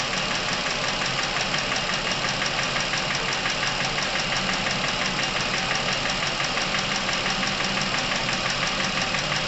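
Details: Chevrolet Epica, over 200,000 km, top-end noise that appeared suddenly, warm engine during a Dimexide oil flush at 100 g per litre: steady idle with light regular ticking, consistent with noisy hydraulic lifters against the camshaft; engine ran quieter once the Dimexide went in.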